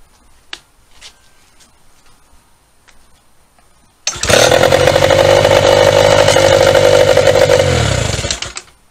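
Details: 1996 Mercury Mariner outboard after trigger replaced for no-spark fault, run briefly without water: fires on first pull and holds an even, crisp two-stroke buzz for about four seconds before being cut; normal running.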